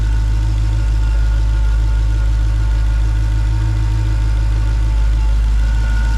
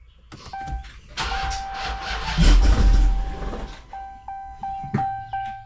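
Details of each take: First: Supercharged V8 Dodge Charger (ex-2019 Scat Pack, Hellcat conversion), first start in 2.5 months after reinstalling supercharger: deep, steady idle with even low rumble, no misses, knocks or ticks; sounds good, normal idle. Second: Hellcat supercharged V8, first startup in months after supercharger reinstall, started from inside: starter cranks, engine catches with loud roar, revs sag and it stalls within seconds; door chime pings.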